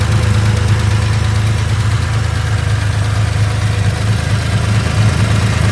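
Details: 2.4 engine, ticking heard on the left-hand side: a light, regular tick about two per second over a steady idle hum; valvetrain-area engine tick of unknown cause.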